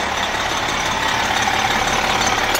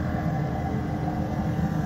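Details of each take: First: MCI coach with a Detroit Diesel S60 DDEC6 (425 hp at 2100 rpm): a steady, even idle hiss and hum with no missing beat. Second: MCI coach with Detroit Diesel S60 DDEC6 (425hp @ 2100rpm): deep, lumpy beat with missing strokes, running on 3 of 6 cylinders; fault traced to external engine wiring harness, not injector harness; wiring repair restored all cylinders.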